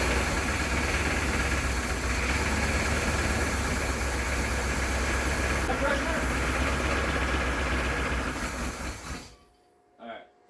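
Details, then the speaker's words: 1979 Pontiac Trans Am stored since 1995, first crank with spark confirmed: a rough, lumpy V8 idle with an uneven beat, then it shuts off. One pronounced dead cylinder, suspected bent pushrod or a rocker arm come off. "it almost sounds like either a push rod bent or a rocker arm come off because uh there's really there is one pronounced dead cylinder in it"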